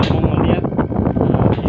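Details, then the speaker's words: Home split AC that wasn't cooling: the compressor, which earlier wasn't running, is now heard running normally with a steady low hum, slight flutter, and no clicking or stalling. "nah ini sudah udah terdengar seperti ini pasti juga sudah hidup kompresornya juga sudah hidup"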